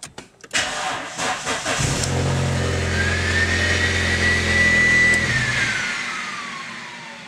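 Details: VW Passat, heard right after engine shutoff (exhaust leak while running): a vacuum-cleaner whir falling steadily in pitch over two seconds, the secondary air injection pump running normally.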